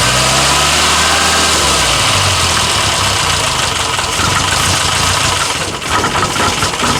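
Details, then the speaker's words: 1962 Austin Healey Sprite Mk2 with the 948cc four-cylinder, first start in over 40 years: it runs ragged and uneven, the revs hunting instead of settling; a rough idle that won't hold. "Holy This doesn't quite want to idle, but Woo!"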